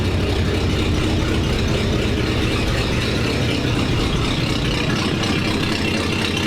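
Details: 1947 Ford panel truck flathead after new custom exhaust over the axle: low, steady, slightly lumpy idle with a soft even burble, quieter, no obvious knocks or rattles, though a small exhaust leak was noted.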